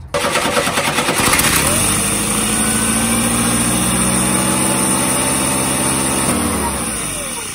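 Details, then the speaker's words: 1986 Chevy S10 Blazer 2.5L: engine catches and settles into a fast, steady idle that never drops, runaway high idle still present while vacuum lines are being traced; one loose line to the evap canister not sealing. "so she still has to run away idle trying to trace all the vacuum lines down"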